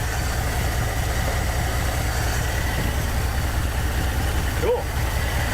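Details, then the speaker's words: 1959 Dodge D-300 farm truck with a worn 318 V8, fires right up after sitting for months once a new solenoid and wiring fix are in; steady, even low thump at idle with no misses, knocks or squeals. "all right this thing's back in Action yep on man right it's been sitting for months fires right"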